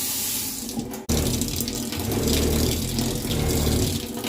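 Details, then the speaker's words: Zurn faucet, cold water side: water gushing over a low, shaky rumble of water hammer vibration, from water leaking past the cartridge with vertical play; cartridge replacement needed. "Right away you can hear that vibration. It's coming from the cold water side, and it's from this having some water leak past it."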